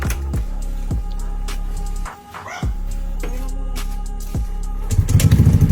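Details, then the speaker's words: Yamaha Mio Gear scooter after cleaning the throttle body and intake, fitting a terminal to the accessory wire and clearing the error code; starts on one click and settles into an even, steady idle, no longer hard starting. "One click. Ngayon ay maayos na ang menor at hindi na siya hirap mag-start."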